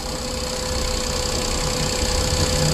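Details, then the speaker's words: Perodua Viva that shakes only when driven at about 40 km/h: steady, even idle with a smooth low rumble and standard vibration. Mountings are good, and each coil plug kills the engine when unplugged, so the coils are fine. Normal idle. "punya gagaran pun tidak juga terlampau gegar lah, dia memang standar."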